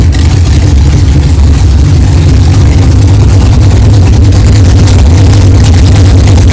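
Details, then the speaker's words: 1964 Chevelle 383 stroker V8 at first fire-up after an 8-month build, 11° timing, 63 lb oil pressure: deep, steady burble with even lopey pulse, no knocking or clatter; good oil pressure, healthy normal idle. "wow thank God it runs it runs good sounds good no problems no clanging and banging no rods fell out of the oil pan that's good good oil pressure"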